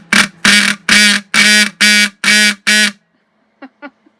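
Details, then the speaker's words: Rusty old horn from a vintage VW bus, cleaned and adjusted: seven raspy, low buzzing honks about two a second; the horn works, though its tone is coarse, like a dying cow. "okay i gotta quit kind of sounds like a car horn or a dying cow"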